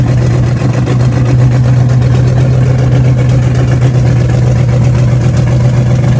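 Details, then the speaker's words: Car engine the day after camshaft break-in and idle timing set; low, lumpy idle drone wavering about four beats a second, not running right; rough idle, owner suspects a vacuum leak, unconfirmed. "unfortunately today we tried to start the car and it's just not running right"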